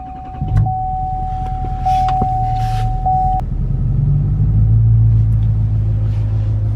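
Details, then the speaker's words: 2020 Duramax diesel started in snowy cold after unplugging its three EGT probes, which were blamed for weird idling and smoke: a chime, then a deep rumble that rises and settles into a smooth raised cold high idle, which it wasn't doing before. Normal. "right, that's nice. It actually kicked up on the high idle now. With those EGT probes, it wasn't doing that."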